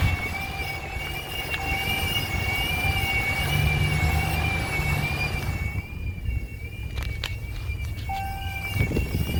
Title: 2017 Ram 1500 whining/screeching noise